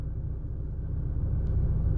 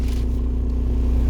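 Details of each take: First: VW Golf TDI at idle with fully stock engine mounts: low, smooth diesel rumble holding a steady even beat with no knocks or shudder; a healthy idle. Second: VW Golf TDI diesel idling on new solid engine mounts, interior microphone: loud heavy low-pitched drumming with steady throb; far more vibration into cabin than OEM mounts, lessening at higher rpm.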